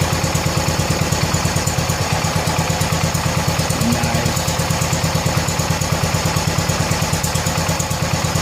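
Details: 1970 John Deere 140 H3 garden tractor single-cylinder, just after replacing a severely leaking blown head gasket: crisp, even chuffing idle about three pulses a second, steady without misses; runs good and quiet, nearly out of gas.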